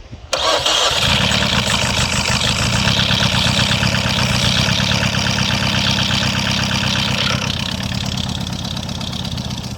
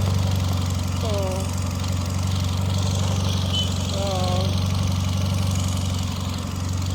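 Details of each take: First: Peugeot with a newly mounted used (Tokumbo) engine after head gasket failure, first start with old spark plugs still fitted: catches into an uneven, stumbling idle; suspected misfire, cause unconfirmed. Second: Repaired Peugeot engine, valve damage blamed on a low-quality head gasket, low steady idle with an even beat and no knocks, misses or ticks; no faults on return.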